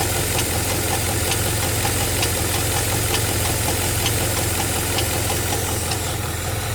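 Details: G8 at idle: light, sharp ticks about once a second hold an even pace over a steady idle; engine ticking noise, cause unclear.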